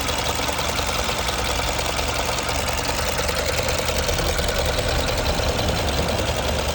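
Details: 2006 Mercedes B200 (W245) petrol, 60K miles, no fault codes: idling with a steady, fairly regular knock of about three beats a second from the engine area; engine knocking at idle, cause unknown.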